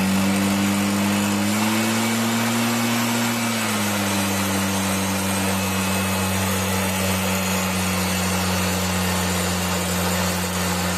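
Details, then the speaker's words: Stihl BR 340 backpack blower, no start from water in fuel lines and carburetor, cleared by pulling with plug out: steady high-pitched two-stroke drone, even with no misfire after settling; now runs good. "okay guys so it runs good that's it"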